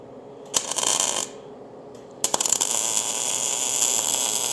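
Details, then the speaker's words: MIG welding a roll bar tube for a 1956/57 tunnel buggy, on a very tight joint gap: after a short burst, an even, continuous frying crackle runs as a hot bead without pausing. The weld is running steadily. "so you can hear that the Gap here is very tight I'm able to just blast right in there a hot bead on that without that pausing"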